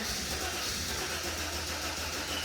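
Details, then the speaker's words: Mercedes SL320 unused for 3 years, camshaft sensor refitted but not fully plugged in: starter spins engine in a steady even churn, never fires — crank, no start; cause undetermined. "I was hoping for it to actually start firing up but it did not meaning that we'll have to dig deeper"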